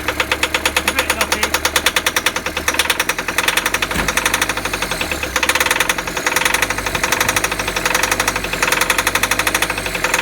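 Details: VW T4 diesel van that sat four years, during a fuel system overhaul: runs rough with a hard, uneven knock and a hunting beat through the revs; judged to be the fuel pump playing up.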